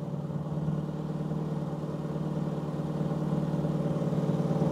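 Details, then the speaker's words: 1990 Toyota Corolla 4WD estate parked 16 years fires straight up and idles like a gem: even, steady petrol idle with smooth low hum, no misses, knocks or hunting; running sweetly. "Oh my god. She's just fired straight up and she's idling like a [Music] gidden."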